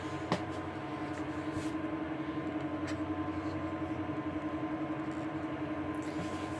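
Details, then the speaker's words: Dantherm HCV500 double-flow ventilation unit at speed 2: a steady fan drone with buzzing hum and rough, pulsing vibration felt in one fan motor, whose bearing was seized on the shaft and dried of grease; fix is replacing the bearing. "On va essayer de savoir lequel qui vibre le plus, mais j'ai l'impression que c'est les deux qui font du bruit. Donc il suffit de pivoter ça pour le faire. Donc au toucher, on sent la vibration dans ce moteur-là."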